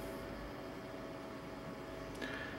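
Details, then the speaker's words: Dell XPS 8300 desktop, a couple of years old, just upgraded with a Samsung SSD. A steady airy whoosh with a faint constant tone comes from the fan at startup: loud cooling fan noise, cause unknown. "sound you're hearing is the fan any ideas how to stop that fan from making that much noise and when I start it up please let me know"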